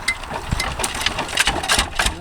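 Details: 1966 Lister Autotruck, three-wheeled, with a rebuilt air-cooled single-cylinder Lister LD1 diesel, just started on a freezing cold day using the oil cold-start plunger: slow, even beat of about three thumps a second with crisp diesel clatter; idling cleanly.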